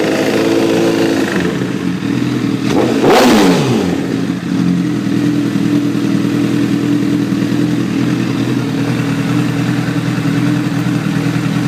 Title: 2009 Repsol Ticking noise vid 4